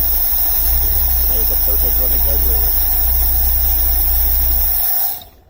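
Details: 1978 International Scout II 345 V8 with Holley 2210 carburetor, started cold without throttle: settles into a steady, even idle with no stumble or hunting; carburetor runs normally before the off-idle stall fix.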